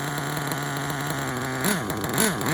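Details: RC car K5.9 nitro engine with sealed backplate and LRP 32 Spec 2 carburetor, hot glow plug fitted after vapor lock stall: high buzzy idle wavering slightly with throttle blips; still rough, running lean on low.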